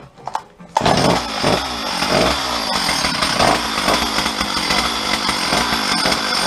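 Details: Stihl 034 chainsaw, bought at a garage sale after 10–15 years parked, muffler slightly cracked, on its first start: fires at once and holds a fast, raspy two-stroke buzz with steady revs and no misfire or bogging. Runs fine; the owner suspects moved wires had been shorting.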